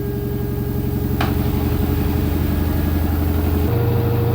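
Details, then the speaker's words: LG F-1220TD washing machine after overhaul (new spider, all bearings and seal): spinning at 800 rpm, steady even hum with no grinding, rumble or knocking; normal smooth spin. "так машинка розвиває 800 оборотів працює вона в стандартному режимі"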